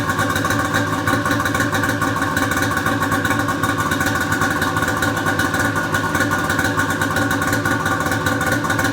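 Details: Polaris Pro XR 800 two-stroke snowmobile engine after head gasket replacement for burning coolant: steady, even idle with a crisp buzzy beat, no misses, surges or knocks; no white smoke, running healthy.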